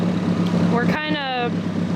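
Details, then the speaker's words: Mazda Miata after intake repair, idling: low, choppy, rotary-like lope, holding but unsteady; rough lumpy idle, owners suspect bad gas or a bad sensor, unconfirmed. "right now it sounds like it has a rotary in it can you give it any ex like gas at all yet"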